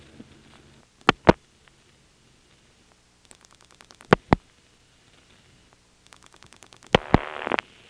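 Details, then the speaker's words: March 1977 Carolina Telephone step-by-step exchange with ESS-style tones, Washington NC: dial-pulse and relay clicks, then ringing with fast reorder superimposed, produced by dialing extra digits into the callback circuit on a local call. "an example of getting a number ringing with a reorder on top of it I'm again dialing the code for the callback circuit that a local call skipping some of the absorbed digits and then the call starts ringing and then I go on dialing just a couple more to get the callback circuit in the mode where it puts the reorder on"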